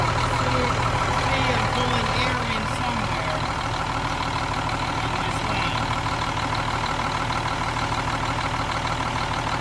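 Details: Cummins M11 diesel semi truck after fuel system priming and bleeding: steady even idle clatter holding speed, no stumbling or hunting; runs clean, no more air bubbles.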